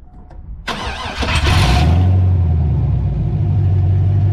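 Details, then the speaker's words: 2003 Chevy S10 ZR2 with home-built 5.7 Vortec 350 V8 swap, open headers, after first drives: quick crank, catches cleanly and settles to a steady, even idle with deep regular pulse; healthy start. "I think the computer started to learn what it needed to do and it actually is starting up really nice now"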